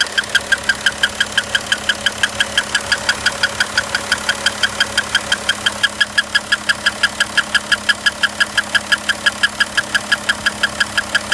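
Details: 2011 Audi Q7 3.0 TDI 239 hp at idle: sharp metallic tick repeating evenly about three times a second over a steady diesel idle; engine knock, cause not identified.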